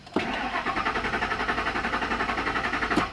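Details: 2001 Ford Expedition 4.6L Triton V8 cranking with an incorrectly programmed spare chip key: even cranking about three compression pulses a second, never fires, security light blinking; immobilizer rejects key, original key starts. Crank no start, immobilizer key not recognized.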